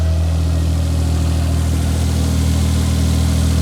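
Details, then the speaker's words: Old fuel-injected four-stroke snowmobile just restarted after 30 days underwater, dried out, oil changed, connections greased: deep steady idle about four firing beats a second, even, no knocks or misses; running healthy. "she's running got her all right"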